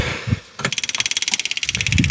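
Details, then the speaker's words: New Holland Workmaster 25 with a 3-cylinder diesel in Michigan winter, crank-no-start after water in the fuel: engine off, the key on gives fast, even clicking of about ten a second as the electric fuel pump primes normally. The system had probably lost its prime. "you hear all that clicking. So when you turn that key on, that starts the fuel pump."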